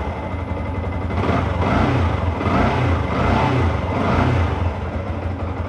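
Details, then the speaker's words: Yamaha R15, ten years in use, engine never opened, oil unchanged five years with about 100 cc left, now fresh MPX oil: steady low idle, gently rising and falling, smoother, no knocks or rattles; normal idle. "Udah sedikit lebih terasa lebih halus suaranya dan tidak ada tarikannya lebih enteng karena olinya beli baru, tarikan enteng."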